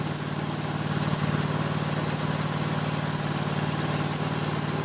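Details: Toro SW 2400 lawn tractor idling just after a choked start, with the battery reading 13.57 V so the alternator and charging circuit work: a steady, even idle with a regular low pulse and no knocks or misses; healthy.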